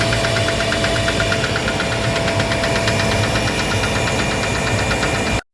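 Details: Gardner Denver screw air compressor under load, fast steady metallic knocking over the hum, before repair; knocking caused by a faulty pressure valve, fixed by replacing the valve.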